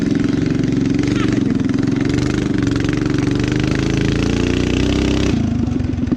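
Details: Rat rod small single-cylinder running on choke after new gas tank fitted to fix fuel problems: fast, even putter rising slightly as it settles, no stumbling; normal running on choke.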